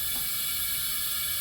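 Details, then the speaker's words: 79-year-old airplane engine abandoned over seven years, leak-down test on cylinder reading about 26 of 80 psi: steady loud hiss of air rushing out the crankcase; heavy leakage past piston rings. "That's usually rings. Hear how loud that is coming out of there? That means a whole bunch is leaking this way."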